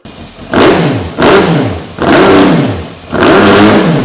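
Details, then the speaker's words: 2003 Honda CBR954RR, sat outside 15 years, run again after reseating the unseated part that had caused flames: four clean throttle blips rising smoothly and falling evenly, no misfire or popping, tach rising; healthy revving. "Run her again. The needle for the RPMs was actually going up, too."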